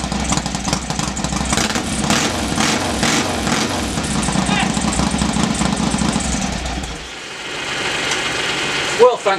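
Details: Norley cafe racer motorcycle, first start after three years of build, clutch slave cylinder rebuilt, heads refitted: uneven but steady idle that keeps running then cuts off; a bit smoky, likely from oil injected down the bores.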